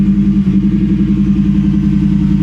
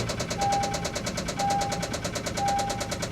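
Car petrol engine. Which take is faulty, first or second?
second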